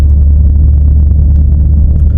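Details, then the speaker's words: 2018 F-150 4WD 5.0 Coyote: loud, steady low roar while driving, like a bad wheel bearing, from a failing integrated wheel end (IWE); wheel bearings were earlier replaced wrongly for the same noise; left CV axle inner boot also busted. "sounds just like a bad wheel bearing and when I first got the truck I had that same issue and I thought it was the wheel bearings"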